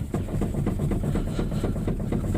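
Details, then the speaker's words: Chrysler Sebring front end, engine off, steering wheel shaken hard: rapid loose clunking about five knocks a second from worn inner and outer tie rods, which were then replaced. "if I shake the wheel real hard hear that there's something in there"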